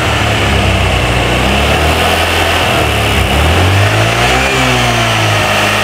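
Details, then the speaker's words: Old Honda Vario scooter held at part throttle: revs wobble and stutter now and then before smoothing out, fine at idle but cutting in and out at mid throttle; intermittent misfire. "ini penyakitnya itu kan kadang nyendat kadang gak ya jadi teman-teman perhatikan aja sekarang"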